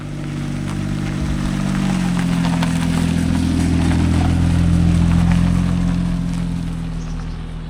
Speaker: This thing doesn't even really smoke. Like, for a car that has no business being a running car, it sounds good.